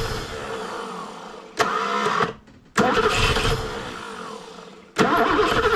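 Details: Barn-find BMW E9 3.0 CSi, first start attempt after over 20 years stored: three bursts of steady starter cranking about four beats a second, engine never catches.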